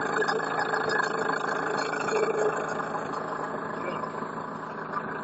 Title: Стук двигателя